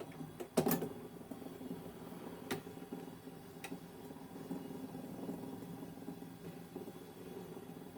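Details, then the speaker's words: 1942 Zenith 7S685 radio-phono console record changer after waxing: a quiet run broken by clunks and clicks as it trips and drops the next record. This is a normal cycle; the arm does not return to rest after the last record and keeps cycling. "goes to the next record now the last record on some of these old record players would play over and over this one does not return to the tone arm rest position after the last record it just keeps playing"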